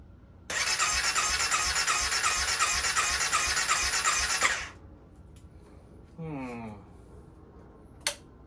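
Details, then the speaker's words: 2016 CBR300R with 1133 miles, parked 7 years with a near-empty tank, on fresh gas with additive and a jump pack: a steady starter whirr for about four seconds with no catch and no pump hum beforehand; no fuel pump cycling heard, and it cranks without starting. "hopefully the injectors and the fuel pump are fine and it fires right up. Don't hear a fuel pump cycling."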